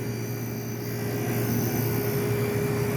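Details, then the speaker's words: 1973 GM Frigidaire 11,600 BTU window air conditioner, compressor dated January 1973, badly rusted pan: compressor runs with a steady low hum and faint even tone, no knocks or rattles, blowing ice cold; normal healthy compressor running. "but yeah everything sounds good the compressor sounds"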